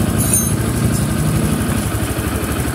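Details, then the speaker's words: Honda Click 150 scooter after repair with new block, valves, connecting rod, rocker arm, valve seals and crankshaft oil seal, still hot and smoking: steady low thrum, even firing, no knock or bottom-end clatter; engine now quiet, normal idle. "Init pa, muusok. Tahimik na yung makina ng Honda Click 150."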